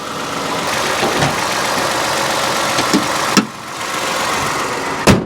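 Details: 2011-2020 Toyota Sienna 3.5L V6 2GR-FE idling after alternator replacement and coolant top-off, charging properly; smooth even idle with steady hum and a couple of stray clicks; normal idle.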